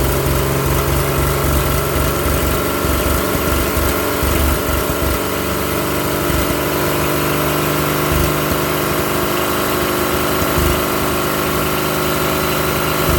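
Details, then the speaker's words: Old truck engine, unrun for 30 years, now warm with water running through the block: smooth, even low-beat idle with no knocks, ticks or misses, 40 psi oil pressure at idle (nearly 50 revved). Slight smoke, rings not yet seated. Normal warm idle. "all right there you go she runs you can see that nice and warm and you saw the oil pressure got you know 40 pounds of idle at almost 50 pounds when it revved it up"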